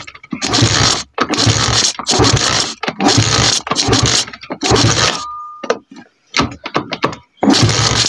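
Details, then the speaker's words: 125cc pit bike, idle screw raised half a turn: small uneven revving bursts then sputters and dies when throttle released, won't hold idle, making an odd noise; owner suspects idle adjustment still needed: stalling when throttle released. "Když pustím plyn, tak to chcípá. Tak to prostě chcípá."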